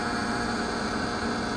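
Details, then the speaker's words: 1995 Johnson/Evinrude J130TLEOA outboard on a 1979 Mako 20 run from a 12 V battery, after topping up trim fluid and bleeding air: steady, even electric motor hum, no sputtering; normal tilt/trim pump operation. "Run it all the way back down. Yeah, sounds great now."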